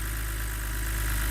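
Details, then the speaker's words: BMW E89 Z4 3.0 N52 straight-six (40,000 miles) at first start-up after replacing a stuck timing chain tensioner. Smooth, steady low idle with light, even tappet and injector ticking and no timing chain rattle; healthy. "lovely oh that sounds lovely that does lovely ticking of the old taets in the"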